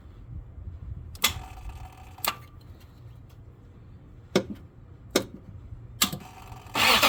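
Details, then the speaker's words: 2004 Lexus GX470 delayed start: sharp irregular starter solenoid clicks without cranking, then starter finally engages; power reaches solenoid, so starter contacts or starter itself suspected; starter replaced. "okay so so as you can see it looks like it starts fine and then there's a delay um I do hear the solenoid clicking so power is getting there"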